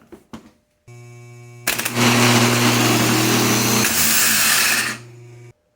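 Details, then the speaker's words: Rebuilt AC Delco 10MT Chevy starter bench-tested off the vehicle: solenoid clacks in, then it spins up to a high, even whir for about three seconds, faster than under load, and winds down cleanly: healthy starter engagement and spin. "Since this is not in a vehicle and it doesn't have the resistance of pushing a motor, you don't want to run this thing for a long period of time. It will spin faster than it normally does."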